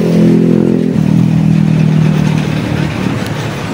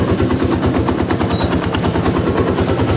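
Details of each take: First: XR200 single-cylinder with a noisy engine, before repair: fires up and settles into a lumpy idle with quick light top-end ticking. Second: XR200 single-cylinder after valve adjustment and new timing chain and tensioner: loud, fast thumping at idle with the top-end ticking gone; normal idle, only some clutch-side noise remaining.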